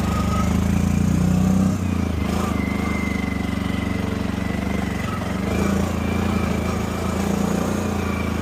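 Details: 2015 CFMOTO 800cc EFI V-twin ATV, 818 miles, revived after sitting over two years, with a new AGM battery and fresh gas. Even, steady thrum at a fast idle with no misses or knocks; it runs cleanly again (a left-case oil leak was found later).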